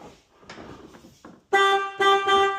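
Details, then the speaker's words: BMW Mini Cooper S R56 that failed its MOT for a non-working horn: a few dull clicks, then a loud steady two-tone honk three times with short gaps; the horn works again after the faulty part was given a beating and reconnected. "fixed for free. Just give it a Basil style beating."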